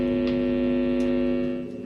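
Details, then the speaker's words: DIY amplifier after DC offset fixed (0.00 V), loud steady low hum with audio input at high volume; ground loop because tone control is grounded from the main PSU. "Dengung banget. Kenapa kok seperti itu? Karena seperti ini. Karena nih, tone controlnya diambilin dari PSU utama."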